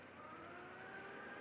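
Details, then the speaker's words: MegaTouch Maxx bartop arcade machine's computer: steady loud hiss-like roar with whistling around 5 kHz; the power supply fan sounds awful and the CPU fan keeps revving up and down; all fans to be replaced. "The power supply fan sounds awful. The CPU fan keeps revving and unrevving. Uh, it sounds awful."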